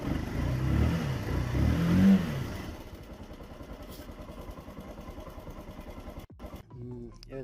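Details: Motorcycle starter motor struggling to crank: heavy, uneven low churning for a few seconds that fades and drags; carbon brush dust inside the starter was stopping the armature turning fully, cleaning it fixed it, brushes still adequate.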